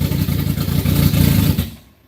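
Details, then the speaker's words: Ice-cold engine on the Max, falling from post-start into the warm-up table: loud uneven lumpy cold idle that suddenly sags and fades; warm-up enrichment issues, starts decently but dies. "It's got some warm-up enrichment issues. I mean, it starts and runs decent, but it's ice cold right now. Like, ice cold. It'll die."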